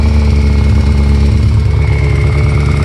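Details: Kawasaki ZX14 idling with a dull, uneven bottom-end knock under the rumble; owner suspects a spun bearing on the number 3 cylinder from oil starvation, possibly the cam chain tensioner; unconfirmed.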